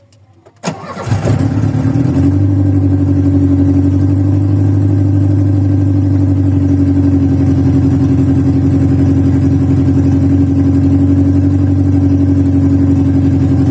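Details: VW Voyage cold start after sitting many days, worn old mechanical parts: catches after a brief crank and settles into a low, uneven, lumpy idle; rough running while cold during warm-up.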